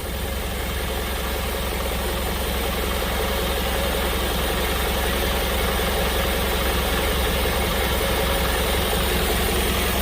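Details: Diesel truck that stumbles while driving, fault codes read by scanner: uneven, stumbling idle beat of about two to three pulses a second over steady clatter; injectors found faulty, to be removed for service.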